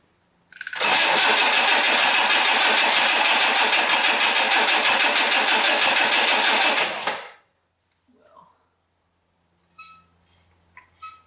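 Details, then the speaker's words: 1962 AMC Rambler, 196 cu in straight 6, abandoned 47 years, reworked Carter AS 1-barrel carburetor, started via remote starter: catches, raspy sputtering about six seconds, then cuts out and dies; cause unconfirmed. "hear you squirting oh that didn't sound good let's keep going oh wait yeah that's not good"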